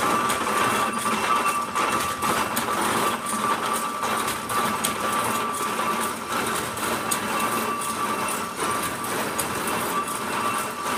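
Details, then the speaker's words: Spool Axminster carpet loom with 288 spools, switched on: loud, fast, even clatter of shuttles and spools with a steady metallic ring; a healthy loom running normally. "now i'm going to switch the loom on you can hear how noisy it is multiply that by 80 to 90 and you'll see what we had to put up with"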